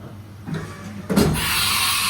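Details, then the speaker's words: Haas VF1 CNC mill on temporary power, carousel plate slightly bent, tool change selecting T1 via MDI: quiet whir, then one solid clonk as the tool seats before spindle hiss starts; tool change height needs adjustment. "You can hear it clonk into it, so we need a bit of adjustment on the tool change height, but that's no real dramas."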